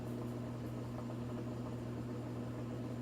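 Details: Top-load washer, empty drum spinning after new suspension springs with rubber covers: a steady, even motor hum through the spin with no thumping or knocking, running smoothly and balanced, where before it got louder and had to be stopped.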